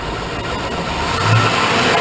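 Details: 2001 Chevrolet Suburban 2500 6.0 Vortec, cold start at about 1 degree after sitting overnight, right after a head rebuild with new plugs, wires, gaskets and intake valves. Revs surge up and sag, nearly stalling; rough cold idle, cause unknown.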